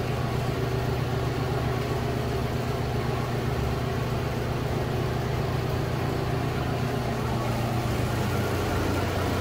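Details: Loren Cook restroom exhaust fan at full speed: steady low hum with light, uneven rattle on top; grille possibly hit by something and needing maintenance, cause unconfirmed.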